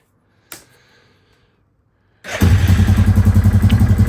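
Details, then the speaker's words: 2005 Yamaha Grizzly 660 ATV single, reassembled after repairs and taken for a quick spin: fires up into an even thump, about four beats a second, smooth; runs a lot nicer now, normal running. "Oh, that's a lot nicer now."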